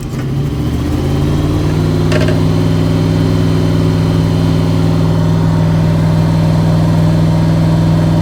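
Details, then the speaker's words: 1977 Chevy truck with 350 V8, cold start, faulty choke needing the gas pumped a couple of times: fires almost at once, revs up, then holds a fast, slightly uneven idle. "the chokes messed up on this truck and so you usually have to pack the gas a couple times to get it to start"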